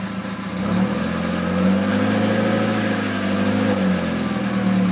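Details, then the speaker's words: VW Jetta with a light rev giving a smooth even engine note and no puffing or ticking, after sealing an exhaust leak with exhaust putty. "it sounds like it's nicely sealed up so i'm going to take it for a drive and see if i see if it still sounds good"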